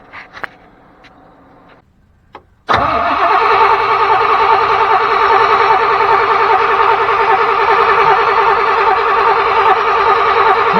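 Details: 1992 Chevrolet truck that sat 10-15 years: after a pause the starter spins the engine at about two and a half even beats per second but never catches; crank no start, low compression possible.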